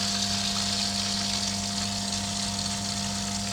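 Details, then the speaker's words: New Superfish Eco Plus RC 15000 pump on a fry tank, just switched on in mode 1 and drawing 23 then 22 watts: low steady hum with faint water rush, no rattles or surging. It runs smoothly and quietly. "Now that the pump started up, 23 watts, pretty much what they said it'd use."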